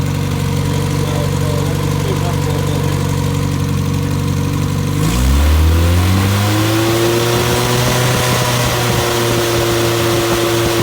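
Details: Fully rebuilt Triumph Spitfire 1500 engine on run test, electric fuel pump, oil pressure 75 psi at idle, about 1000 rpm, not yet fully hot; steady even low idle, one clean rev settling smoothly, no knocks or misses; healthy.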